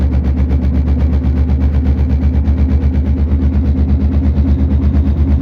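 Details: Steady low drone with a rhythmic throb while driving from a bad front passenger-side wheel bearing, later confirmed and fixed.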